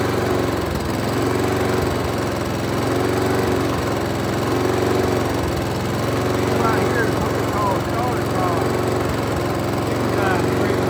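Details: Small mower engine surging, speed rising and falling about every two seconds, from a gummed-up carburetor; hunting idle.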